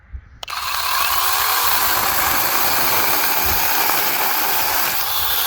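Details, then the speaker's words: Two battery mini chainsaws running on DeWalt 20V lithium-ion batteries; the brushless saw cuts 2–3 inch cedar with a steady, full-pitched roar that never bogs, hesitates or stalls, even pushed hard; normal cutting under load. "Definitely got enough power. It does not hesitate at all. I'm barely pushing on it. I'll push hard on it. Still cut through, didn't stall nothing."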